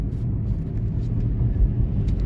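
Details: Chevy Equinox on a test drive after the ABS/AWD warning-light sensor fix: a steady, low road rumble at cruising speed with no grinding from the wheels; the owner notes an unidentified rattle underneath, possibly a loose shield. Normal driving.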